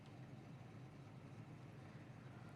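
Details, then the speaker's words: 1965 Ford Mustang with a 289 V8 and five-speed Tremec, warming up with the temp gauge not yet halfway. A steady, even low rumble with no misses or stumbles and no stalling means normal idle. "you can see we're sitting here idling nicely not stalling out temp gauge is not even halfway up yet"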